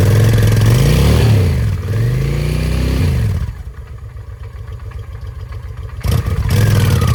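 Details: 2007 Honda Shadow V-twin on the first start after a new clutch: uneven clattery running, revs rising and falling, then a rough low idle. It knocked before, seized briefly when the oil was checked while running, and the oil was drained. It still sounds bad; cause unknown.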